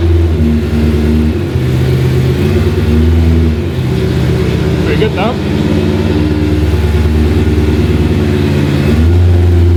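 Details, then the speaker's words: BMW E30 M3 track car with a swapped S65 V8 and DCT, first start, no silencer fitted: a loud, raw V8 idle with a rev blip, firing steady and even, harsh only from the open exhaust, engine running healthy. "yeah it's pretty odd still with the exhaust so yeah so it's a little bit deafening"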